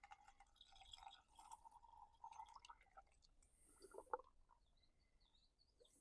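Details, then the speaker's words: 2020 Kia Sedona after a thermostat replacement, refilling and bleeding the coolant: quiet trickles and drips with the odd gurgle as trapped air works out; this is normal. "If you hear it bubbling or gurgling or anything like that, that's okay. That's normal. That's what you want to hear."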